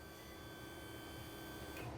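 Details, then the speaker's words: Braun wheelchair lift in a Winnebago RV, fold button held extra seconds after full retraction: steady fairly high electric motor whine as the lift seats and the hydraulic system locks; normal pump sound. "you hear the motor kind of whine a little bit, that's simply to make sure that the lift is fully seated in, and the hydraulic system is locked."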